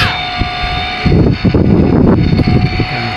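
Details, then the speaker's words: Kolin Primus aircon indoor unit: steady whine over rough rumbling and rattle from the fan motor, which is worn and noisy and is to be replaced. "Rinig na rinig ang ingay na ng fan motor. Palitan na natin to."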